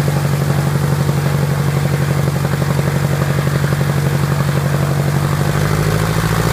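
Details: Piper Apache piston aircraft engine, first start after rebuild: deep steady drone, even firing, no misses or knocks; normal smooth idle.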